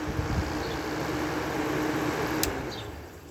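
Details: 5000 BTU Kenmore air conditioner, fan motor previously stuck, now working very well: steady airy fan whoosh over a low hum, no squeal or scraping; normal running.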